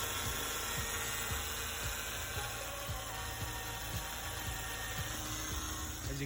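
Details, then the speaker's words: Turbocharged Mazda Protege5 running: steady high power steering whine and squeal with soft low thumps about twice a second from the old leaking pump; a new pump gave the same noise. "hear it just squeals whines and doesn't sound good"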